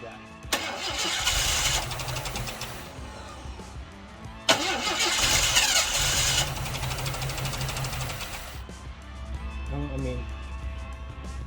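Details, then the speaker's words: Project car with missing front wiring harness, after new starter, starter solenoid and ignition module, first start: two attempts each opening with a sharp bang, then brief uneven rumble, very quiet running; backfires on starting. "oh wait wait that does something there it backfires that backfires"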